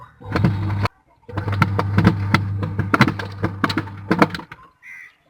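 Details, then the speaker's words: Washing machine wash motor being tested through a 6-wire timer, wired with phase and neutral: a steady low hum with light clicking as the timer works; the motor runs normally. "आप एक आवाज़ सुन रहे होंगे मोटर की। ये मोटर हमारी चल रही है।"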